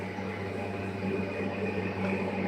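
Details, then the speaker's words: Baymak combi boiler running in hot-water-only mode with a loud helicopter-like noise: constant hum with steady whirring tones, unchanged through the run; no fault code shown, cause not clear. "Baybağımız kombimize aşırı derece ses geliyor. Şöyle gösterelim. Sadece sıcak su yapıyor. Helikopter sesi gibi ses geliyor maşallah."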